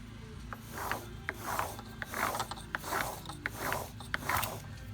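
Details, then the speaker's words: Front differential removed from a Polaris RZR 1000 Highlifter, turned by hand: gritty, ratcheting grind in uneven bursts from a badly worn bearing. The diff had been holding worse than usual, with a lot of play in the axle cups; a rebuild is planned. "a noisy bearing that is a really noisy bearing"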